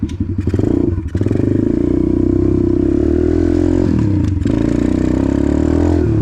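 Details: Apollo RFZ 125 X18 pit bike with a new Nibbi PE22 22 mm carburetor, stock jets and only briefly adjusted. The single cylinder climbs cleanly through the revs with no popping, stumbling or bogging; it sounds good.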